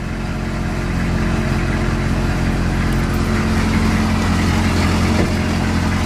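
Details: Squarebody diesel truck with dual tanks, after starting with good oil: an even, steady idle clatter with a smooth, unchanging beat and no knocks or misses.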